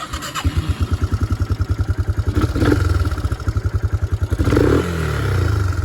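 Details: Yamaha Moto 4 ATV (1987 Moto 4 225, also called a supposed 1998 Moto 4 250) after the no-compression bent-valve repair. Warm after a short ride, it starts fast into an even single-cylinder thump of about three beats a second, blips, then idles steadily and healthily.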